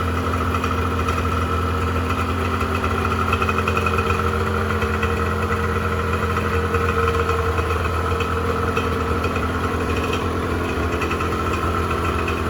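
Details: 1986 Honda NS400R 400cc two-stroke triple, run on choke after an 11-month layup to empty the carburettors before storage since it won't be ridden again this year; steady idle thinning and slightly uneven as it starts running out of fuel.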